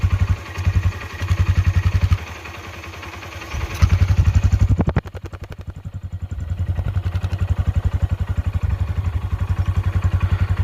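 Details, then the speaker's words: Honda Dream Yuga after full engine rebuild, heard near the silencer: steady, even single-cylinder thump at idle with clean exhaust pulses, no knocks or rattles, and no smoke; engine sounds smooth and healthy. "బండి అయితే engine sound అయితే విన్నారు కదా ఎంత smooth గా అయింది engine అనేది"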